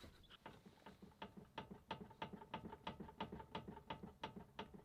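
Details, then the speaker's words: VW Transporter T5 steering, rod rocked by hand: light clicks and clunks about three a second from slack in the inner tie rod joint, not the outer tie rod. "hear that? That's the sound of a loose tie rod. And I just realized it's not the outer tie rod that is broken. It's actually the inner."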